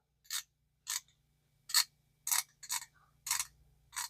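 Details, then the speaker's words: Early-1960s Zebco reel after repair and pinion depth set via brass L bracket: now quieter, anti-reverse gives crisp, bright clicks in short bursts, about eight over four seconds, catching cleanly each time; working normally. "See how much quieter that is now. We're good there. Let's make sure our entire reverse works."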